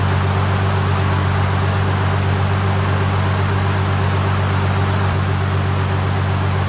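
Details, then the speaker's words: Toyota Supra JZA80 after a 2007 Toyota Sequoia alternator upgrade, idling with SPAL fans and lights off: steady smooth idle with no knocks or misses; charging 14.33 volts versus 14.13 with the stock alternator. "So with the engine just running by itself, the fans off, no light, and nothing at all, just the motor running."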